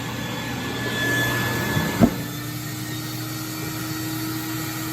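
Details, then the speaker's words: Waxie Versa 2 with water lift issues: steady motor drone, then thump and tone shifts to higher strained hum; suspected clog or jam in vacuum system, suction partly present, hose being checked; abnormal vacuum motor noise. "Okay, that doesn't sound too good because it sounds like we have a jam in the vacuum system."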